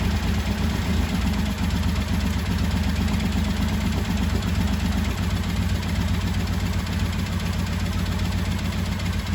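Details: 1985 Honda VT1100 Shadow V-twin, revived after 25 years, loud with the airbox off for testing, being dialed in. Lumpy, uneven idle with about four loping pulses a second. The two carburetors are pretty far out of balance and need synchronizing.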